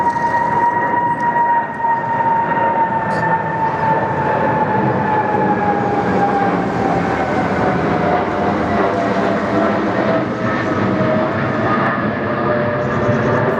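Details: British Airways Boeing 777-236(ER) departing London Heathrow for Nairobi: a steady high whistle over the jet roar, sliding lower as it climbs out; abnormal screech, cause unknown.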